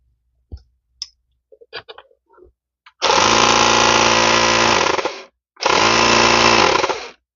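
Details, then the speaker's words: 12 V tyre inflator on bench power supply after repairing a dead circuit caused by a faulty motor relay: two firm bursts of loud even buzzing rattle with clean starts and stops; motor and pump now run normally. "देखिए जैसे मैं on कर रहा हूं ये चालू हो गया तो एक रिले खराब होने की वजह से यह पूरा सर्किट डेड हो जाता है"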